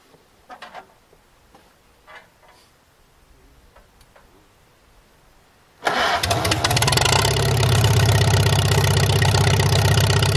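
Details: Farmall H tractor, first start after revival, fired once a poor connection was wiggled and the choke was used: engine catches straight away and settles into a steady, even beat; normal start and idle.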